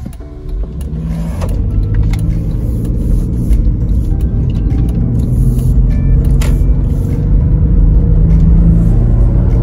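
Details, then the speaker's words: 2006 Jeep Grand Cherokee 3.7 V6, warmed up, test drive after new Denso platinum spark plugs and all six ignition coils fixed an earlier rough idle: engine pulls evenly as it speeds up, no stumbles or misfires. "I just took it for a quick test drive and everything seems to be working perfectly no rough idle no misfires nothing"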